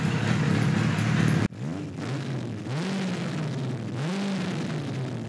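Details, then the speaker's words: 1976 Kawasaki KZ900 A4 four-cylinder project bike on its first run after fueling the carbs, which was hard to start: it catches after a stumble, then lurches through uneven, hesitant revs that sag back; rough running. "the clips you just saw were running yesterday I didn't want to keep you in suspense any longer and it doesn't run that well as you can see"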